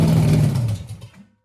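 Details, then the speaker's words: First start of a 6-inch rodded 350 Chevy V8 from an HQ Holden Kingswood project, after timing issues; rough low rumble sags and dies within a second; it won't hold idle; owner says it needs a fuel system and tuning. "So I'll probably run it for about 30 seconds maybe, because it just keeps dying out, just doesn't want to idle, doesn't want to, so I really need to sort of go through what's there, get rid of all the jankiness off it."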